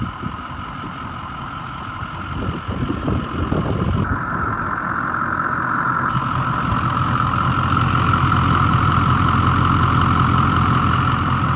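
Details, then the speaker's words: 2006 Ford E-450 Blue Bird Handy Bus, 6.0 L diesel, started after starting fluid with a noisy starter: steady, even idle clatter at about 160 beats a minute with no misses; the engine idles healthily. "but the motor once it started it sounds really nice listen to"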